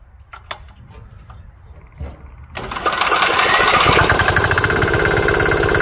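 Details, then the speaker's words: 196cc 3 hp air-cooled diesel newly installed in a vintage Cushman Desperado diesel-electric golf cart, starting up: quiet, then catches and settles into a loud, steady, rapid even clatter; healthy small diesel, normal running. "yeah it's noisy I just turned down the volume a whole bunch and it'll stay that way for all the test that we do"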